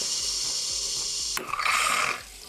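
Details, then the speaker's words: De'Longhi PrimaDonna Elite Experience espresso machine, bought for repair, after restoring water flow, frothing milk: hum then sharp hiss with bubbling, strong for under a second; very thick foam, milk frother works normally. "yes, it's very thick foam, of course the milk simulator works OK"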